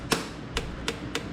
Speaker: Throttle sounds good. You hear that click click, that clapping sound. You want to check for that. That means that that slide's going all the way down.